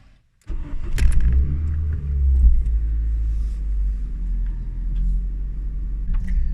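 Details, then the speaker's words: Mk5 Ford Fiesta project car driving after replacing the drop links, tie bars and control arm to cure a front knock: steady low engine and road rumble with no clunks or knocks from the front end; the knock appears fixed. "at the moment as we drive and I can't actually hear the knock at all sound ear at all so we must have fixed it from doing those bits"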